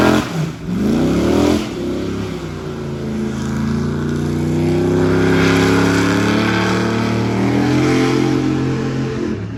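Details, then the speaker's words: LS3 V8 airboat on water test after repair: strong, even roar climbing smoothly with throttle and holding steady under load coming out of the hole, where it used to act up; no misses or pops, running clean. "Get a load on her coming out of the hole. That's when it would really act up before. Oh yeah, she back."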